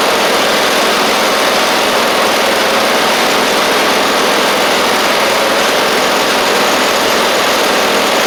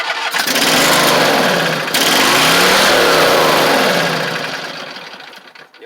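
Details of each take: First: Husqvarna YTH24V48 mower with a replacement engine, run at mid throttle: steady, even drone with no misses, knocks or surging. This twin is running smoothly and healthy. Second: Husqvarna YTH24V48 mower engine with carburetor issues fires and revs, then hunts instead of settling to a steady idle and dies away; the governor broke again, and an internal engine problem is suspected: broken governor.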